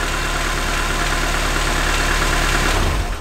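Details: 1995 Opel Astra F, X16SZ four-cylinder petrol engine, suspected head gasket issue: runs steady and even at fast idle before shutting off, no knocks or misses; sounds much better than before, healthy.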